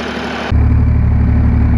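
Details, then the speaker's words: John Deere 350B crawler dozer diesel, complete cold start after about 2 days sitting, no starting fluid, same small battery: fires instantly into a deep, steady idle without hesitation or misfire; healthy. "This is gonna be a complete cold start. It's been about 2 days since I ran this. I'm going to start it cold, no starting fluid, nothing, just to see what happens."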